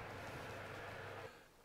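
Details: Cooker oven fan motor, designed for about 1239 rpm, gives a steady, even whirr at full speed with a low hum, no rubbing or rattle, then drops away; normal healthy running.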